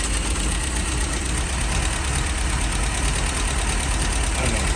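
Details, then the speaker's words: 1969 MGB after oil cooler and hose work; fast idle screw was too far in, backed off, now firing more evenly but still lumpy, uneven idle with occasional stumble; owner feels something's still not right: rough idle. "I don't know what these are supposed to sound like I mean my Shad own them but I mean I don't remember is it supposed to be that rough I still feel like something's something's not right"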